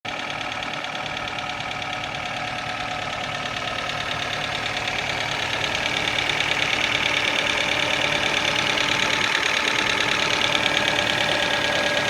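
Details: Kia Ceed engine at idle: a sharp, cyclic clacking about three times a second from the top of the engine; cause not identified; top-end ticking.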